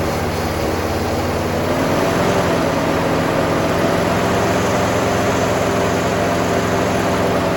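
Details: 1966 Pontiac Grand Prix, 389 V8 four-barrel, first start since 1992 with fresh oil: steady V8 idle with a fast, light, uneven tick about three a second and a little blow-by; owner expects the tick to go away. Ticking at idle.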